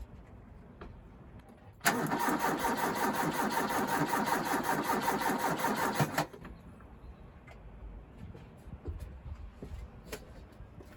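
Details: Ford Capri with coil lead and fuel pump fuse pulled, labored starter churning about four seconds near 160 beats a minute with no catch, during a voltage drop test across the battery; tired battery suspected, earths cleaned.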